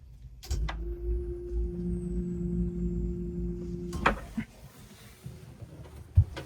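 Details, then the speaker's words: Newly installed Groco macerator pump on a boat's marine toilet holding tank, heard from inside the hold: a steady low electric hum for about three seconds, then a clean cutoff. The pump-out is running normally. "See if you can hear the sound of the pump out. Noise should be coming from in here."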